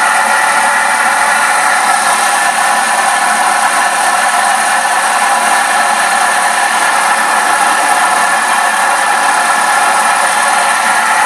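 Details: Peugeot 207 GT cold start: a steady cold idle with a hard, rattly edge and no clear rhythmic knock. Abnormal cold idle; cause undetermined.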